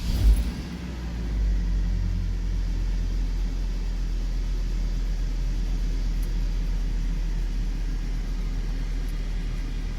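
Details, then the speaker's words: Hummer H3 3.5L warm idle, baseline before ignition coil fault demonstration: brief start flare then smooth, steady low rumble settling around 600–700 rpm, no misses; normal idle, throttle body and MAP sensor cleaned yearly. "we'll wait for it to calm down it's gonna set up around 600 650 700 rpm usually when it's warm that's the normal position for it"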